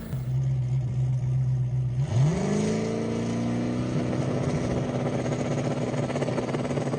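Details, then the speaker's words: Drag car on track pass, tune with 14 psi dome for the brake and 28 psi overall; engine pulls then goes ragged, breaking up badly under full throttle; fuel pressure issue suspected, not confirmed. "All right, well, the second pass didn't go as planned. The car was breaking up a bunch. You can probably see it in the video, or you can probably hear it in the video there."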